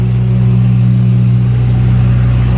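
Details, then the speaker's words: 35 kW liquid-cooled standby generator carrying the 5-ton and 3.5-ton air conditioners through the transfer switch, load probably about 12 kW, warmed up with exhaust red hot. Loud, deep, steady drone with an even firing beat, no misses or surges. Normal running under heavy load. "let's just check out it's under load you can hear it's pretty [Music] loud"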